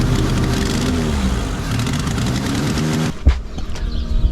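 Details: Ford Ranger 2.9L after new heads fitted and engine reassembled, first start attempt after sitting long; starter churns about three seconds with uneven near-catches then cuts off; cranks but won't start, owner guesses timing off a couple teeth.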